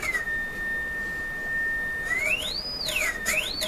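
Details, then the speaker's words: Electrohome Acoustech E00-411 35 W two-way tuned-port speaker with new replacement tweeter: signal-generator tone glides up and back down smoothly without buzz or breakup; normal tweeter output. "Yeah, I can hear it. I can hear it moving back and forth. So all good signs."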